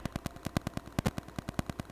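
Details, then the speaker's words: Rode VideoMic GO on a Canon M50 (also reproduced on an A7III) picks up Wi-Fi/RF interference as a sharp, even ticking of about ten clicks a second; it grows stronger near the source and is amplified by camera gain. "Wi-Fi signals or other RF you get it you get a clicking noise so I shot a clip of what the the clicking sounds like with Wi-Fi"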